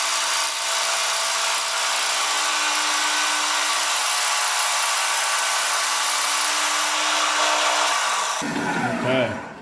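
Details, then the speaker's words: Old 1970s Sprunger bandsaw, 14-inch wheels, new tires, after replacing drive belt with link belt: even steady cutting hiss with no thumping or rhythmic slap, quieter and smoother cut with reduced vibration. "now I'll turn the bass on I'm gonna cut right away you're going to notice it's a lot quieter smoother"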